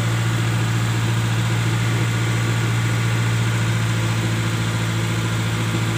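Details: Colt T120SS: steady raised busy idle, no dip or settle; rpm stays high because worn throttle valve lets in extra air.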